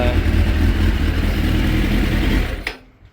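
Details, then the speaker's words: 2006 Suzuki GSX 600F Katana, carburettor mixture screw set a quarter turn in, iridium plugs: even running with no popping, sparks or excessive smoke, revs drop cleanly and quickly to about 1200 rpm; mixture sounds right; normal rev and return to idle. "So I guess I solved the problem. Bikes seem to run really healthy, no excessive smoke, as I said, and no sparks sounds, so it all sounds like it's not getting too much gas and too little air."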